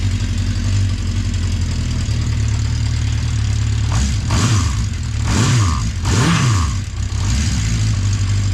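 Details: 1980 Honda CB650C four-cylinder with correct OEM exhaust, cold start after a couple months unused, on full choke: smooth even idle with a few crisp throttle blips rising and falling cleanly; running healthy.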